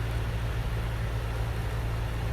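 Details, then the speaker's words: Hyundai Elantra at idle after throttle body cleaning and an adaptive value reset with a scan tool: smooth, even low rumble with no hunting; idle dropped from above 1000 RPM to normal. "तो देख सकते हैं आप, जो अब RPM जो है इसका नीचे आ गया। पहले 1000 से ऊपर था, अब नीचे आ गया।"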